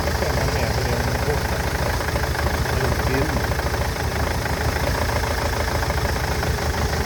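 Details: Nissan Interstar / Renault Master idling with an uneven, stumbling beat that keeps dropping out of rhythm; injectors, fuel pipes and injector wiring loom already replaced, misfire persists; engine misfire at idle.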